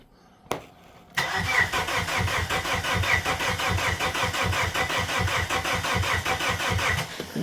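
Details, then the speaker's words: Plymouth Neon sat at least 8 years, fed a little through the throttle body: starter churns engine at uneven slow beat for six seconds, never catches; crank no start. "ain't doing nothing"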